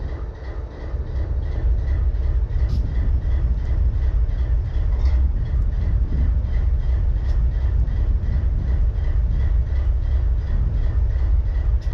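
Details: BNSF 4583 locomotive diesel idling: deep, heavy rumble with an uneven, lumpy beat about three a second, one cylinder seemingly missing at idle.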